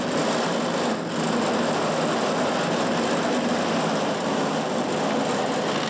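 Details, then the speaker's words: California Trimmer mower after cleaning the fuel pickup tube hole and turning the carburetor mixture in an eighth to a quarter turn to stop surging: light, buzzy small-engine idle holding an even pace with no rise and fall; normal idle. "As you can hear, it's idling pretty good now. I fine-tuned the carburetor. I had to go in basically an eighth to a quarter turn and find that perfect sweet spot so it would stop surging. But it's running really good now."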